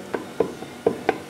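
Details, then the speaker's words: Worn rear and front U-joints on a vehicle, checked underneath with the shaft rocked by hand: sharp dry clacks about four to five a second from the slack; the same vehicle also has cracked front brakes and leaky wheel cylinders. "U-joint's worn out at the back. What about the front one? It's worn out too. U-joints are worn out."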